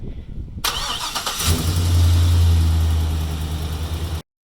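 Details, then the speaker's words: Car/truck after replacing both exhaust donut gaskets (driver and passenger side), flanges tightened evenly: engine cranks briefly, catches and settles to an even, steady idle with no ticking or puffing at the exhaust joints. "And now here's what it sounds like after we install those new gaskets."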